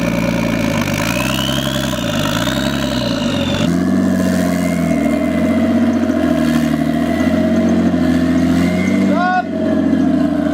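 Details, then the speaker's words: Nissan RB20-powered S14 after new wideband bung and finding a smashed spark plug, plugs gapped 0.30, timing set to 15 degrees: idles then revs with a rough, uneven, stumbling pull; runs better than the last motor but still breaking up and misfiring. "Alright, so we gotta tweak something. It's right still now, breaking up."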